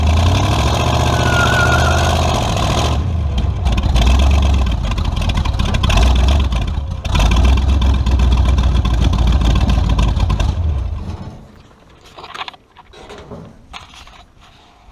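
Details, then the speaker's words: Tunnel-ram 350 V8 with two Edelbrock 600 cfm carburetors (1405/1406), after fixing the vacuum leak and adjusting the metering rods: fires and revs but hesitates and stumbles on throttle. A blocked accelerator pump squirter causes the stumble. "all right i think i screwed up film in there that uh fixing the vacuum leak didn't solve my problem neither did adjusting my metering rods still got a pretty good stumble to it so back to the drawing board"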